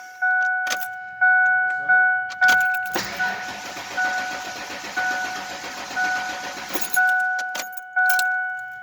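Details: 1996 Ford Explorer Sport with a new fuel pump: key jingle and chimes, then about four seconds of steady cranking that never catches; the crank-no-start was traced to a faulty fuel pump relay.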